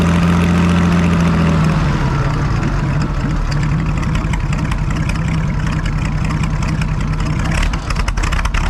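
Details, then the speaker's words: Farmall 560 tractor started just after its carburetor was reinstalled, idle not yet adjusted: a brief rev, then a deep, steady low rumble settling into an even idle with no knocks or misfires. Normal idle. "all right i'm going to do a little bit of adjusting there but boy it sounds good"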